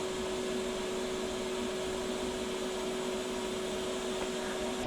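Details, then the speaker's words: TIG welder on DC powered by an EcoFlow Delta 2 battery: steady mid-pitched electrical hum appearing above about 60 amps; owner suspects the battery pulses when the draw is too high. "I think any more high, you can hear a buzz. It must, once it's drawing too much power, it probably gives a pulse or something. That's what the buzz is."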